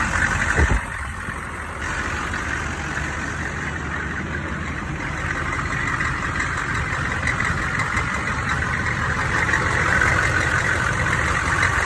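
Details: Engine idling with an odd high-pitched banging: uneven, sharp knocking about three times a second over a metallic ring; suspected cracked flexplate or loose crank bolts, unconfirmed.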